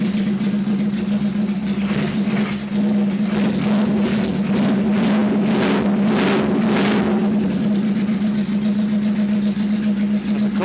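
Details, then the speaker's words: 1977 bike (KZ1000 or CB750) cold start with the filter nearly clean. Lights off and holds a steady, even idle with a few light blips, no misses. Normal cold start. "We're going to fire it up real quick, and I'll show you what I mean as far as how it runs now. This will be a cold start."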